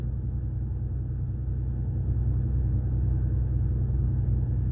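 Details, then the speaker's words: 2020 Ram 1500 EcoDiesel Gen 3 idling, heard from inside the insulated cab: faint, steady low rumble with an even soft beat, nothing sharp. Normal diesel idle. "they can just barely hear it now obviously on the outside you've got that typical diesel clatter which I personally love some people don't like it I love it I wish it had more of it honestly"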